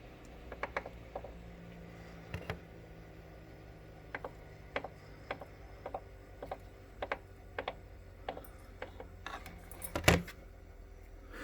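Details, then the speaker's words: Concept2 rowing machine, unit upside down after oiling: sharp light clicks in loose clusters at start of slow pulls, fading at faster pulls, with hesitation on return; clicking during pull, cause unknown. "I just don't ever remember starting the pull and it being noisy like this I mean it could have but I don't I don't ever remember the clicking noise like I said the faster you go the noise goes away"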